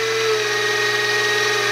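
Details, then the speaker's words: X2 mini-mill (CX605) in high range after repositioning the motor, redistributing grease and adding O-ring dampers, screws tightened: steady high whirring from the gears at constant speed, even, no knocking or chatter; gear mesh noticeably quieter, maybe a bit quieter than a vacuum cleaner. "and now it's in the high range so we can see what the noise is like and i think it's quite a bit better"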